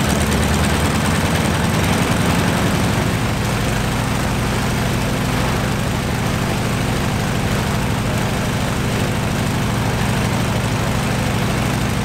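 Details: Stinson L-1 radial engine with duplex magneto, after an overhauled magneto was fitted to cure a dead left mag, started right up and runs with a deep, even throb, no misses or knocks; normal running.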